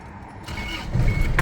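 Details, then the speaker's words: Isuzu D-Max four-door pickup diesel; short crank catches quickly and settles into a steady low diesel rumble with keys jingling, starts easily and sounds healthy, a normal cold start. "สตาร์ทติดง่ายครับผมโอ้เครื่องไฟตามขาอยู่เสียงยังดีอยู่ครับผมเครื่องยนต์"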